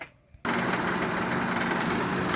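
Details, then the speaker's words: 1997 Vectra B cabin blower, cabin filter removed, fan switched on: steady airy rush with faint hum; the noise was caused by a leaf that got past the filter and stuck in the fan. "ligada à legião então analisado aqui eu tenho escutado barulho lá dentro o descobriu em outubro em volta da ana tem uma folha empresa ben ali vocês não vão acreditar olha só uma folha"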